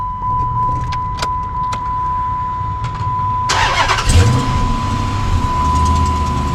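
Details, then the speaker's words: Dodge Magnum with JBA CARB-legal headers, just reassembled after flattening the header flanges: engine cranks and catches, then a light quick tick rides over the idle; header exhaust leak persists, owner suspects mismatched header port shape or tube diameter. "it's still making that sound unbelievable how is that even possible that's serious weekend I flattened the heck out of those things well that's a big old disappointing fail for for the day God it sounds worse almost"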